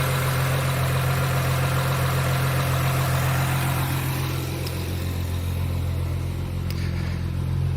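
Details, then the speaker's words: 2003 Honda Accord EX V6 at about 900,000 miles: rough idle with an uneven chug about four times a second and multiple-misfire codes. New plugs and BG 44K cleaner didn't fix it; a leak-down test found worn, leaking valves. "ultimately found out that it was the uh valves leaking down we did a leak test on them and uh they're kind of wearing out"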